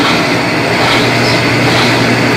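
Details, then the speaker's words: Colormaq 11 kg washing machine after replacing the blown upper spin bearing: at full spin a loud, even rushing roar with a steady low hum underneath and no knocking or grinding; the repair is complete and the drum bearings sound healthy. "Aí está, entrou na centrifugação. Ela vai dar um giro pausado até afirmar. Aí, já centrifugando para valer."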